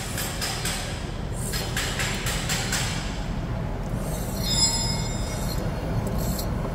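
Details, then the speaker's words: Chevrolet S10 front wheel hub turned by hand: steady rough grinding rumble with a rhythmic rasp; front hub bearing worn out and nearly seizing, with one side even locked. "se com a minha mão tá fazendo esse barulhão imagina com o peso do carro e mais a velocidade ele de 100 por hora"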